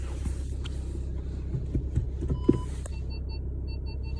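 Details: Skoda Octavia vRS Mk3 at very slow, walking-pace speed on full lock, driver's side: a few irregular dry creaks over low rumble; front-end creak, cause not found.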